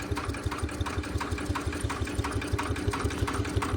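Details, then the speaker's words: 1977 Winnebago V8 abandoned 20 years, running on only 7 cylinders, starter run to circulate oil: slow cranking with evenly spaced dull slaps, roughly three per second, over the starter whir. Internal slap noise, cause not yet found. "think those are okay noises there there's a little slap noise in there that I don't like"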